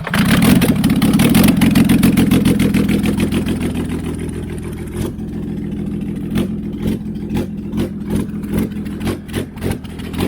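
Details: Toyota 1HD-FTE diesel in a flood-affected HDJ100 Land Cruiser, first run since the flood after water-contaminated fuel was cleared: loud, uneven firing turning lumpy and irregular as it slows, heavy blow-by; stuck rings suspected, not confirmed; rough running.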